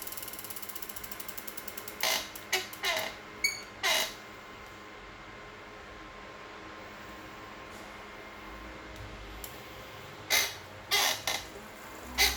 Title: Squeaking noise on Kickr